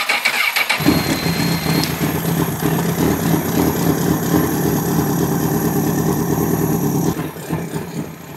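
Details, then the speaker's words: Honda CBR1000RR, lightly crashed, bought as running but found with water-and-oil-looking fluids, on block (combustion leak) test: catches quickly and settles into a smooth, even idle, no ticking or knocking; test fluid stays blue, motor sounds good. "that's that motor sounds really good uh I didn't hear anything crazy going on with it"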